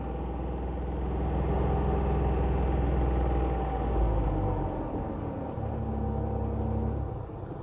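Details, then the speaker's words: Dacia Jogger cabin: deep steady droning hum while the AC compressor runs, dropping away as it cycles off; resonance inside only, inaudible outside, horrific around town; owner unsure if fault or normal. "It sounds absolutely horrendous, the aircon compressor, and I don't know if that's a fault on this car or if that's how they are. You can't hear it outside the car."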